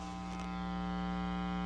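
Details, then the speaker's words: Inexpensive effects pedal power supply into an amplifier with isolated input jacks: steady low buzzing hum with no rhythm; ground loop because the supply has no earth ground reference, fixed by connecting to the amp's frame ground. "that's because this power supply does not have any reference to earth ground so it's not going to pass its reference that it doesn't have to all the pedals you're going to connect"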